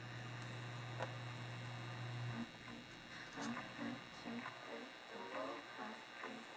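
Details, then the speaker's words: Zenith FM radio with its alignment deliberately thrown out (adjustments 12 through 15 turned) before a sweep-generator and scope realignment: a steady hum with a warbling, garbled mid-range instead of clear audio, since the misaligned IF can't resolve a station. "I mean we can tune but the the sound is funny because our highs and lows that were getting through FM modulation is all kinds of messed up"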